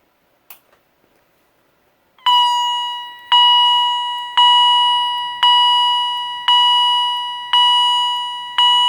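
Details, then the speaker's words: Second Edwards EST 757-5A-CS Integrity chime strobe, mounting plate left on; clear high-pitched chime about once a second, evenly decaying, no rasp; higher pitch and healthier than the owner's other unit; normal. "this one has a very high pitch, and it sounds a little bit healthier than my other Edwards Integrity Chime Strobe."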